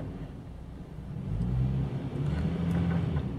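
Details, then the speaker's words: 2009 Toyota Tacoma after replacing the bad cylinder 3 ignition coil: steady low engine rumble with an even idle and no skips or stumbles. "seem to have any misfires let got to take it for a test drive and uh this one's this one's done"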